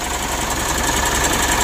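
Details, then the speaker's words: Mitsubishi Pajero Sport Exceed diesel at cold idle after oil and filter change, first start after three days: rough idle with fast light ticking chatter; mechanic suspects idler bearing or tensioner, not confirmed. "Dan kita dengar itu memang betul ada suara kasar pada mesinnya ya Menurut saya ini ada masalah pada dirinya bearing setelan demi modelnya atau tensionernya"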